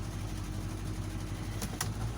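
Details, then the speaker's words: 1985 Chevy C10 after carburetor replacement, idling in gear: steady, even low rumble with no stumble or miss, but the idle sits a little high and is being turned down. "so the one thing that bothers me is that the idol is actually a little too high on this thing so i'm going to turn it down a bit"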